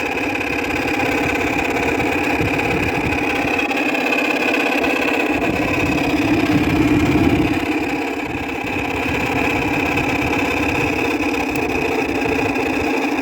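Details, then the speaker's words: 2000 Whirlpool air conditioner, neglected about two years outdoors: steady droning hum with a rough, gritty whir and no change in pace; fan motor bearings worn, noise intolerable though it still cools well. "i have to say on his viner on his vintage units bearing noise is not is a lot worse compared to shot bearings on a modern unit chop bearings on a modern unit are actually tolerable this one is not tolerable at all"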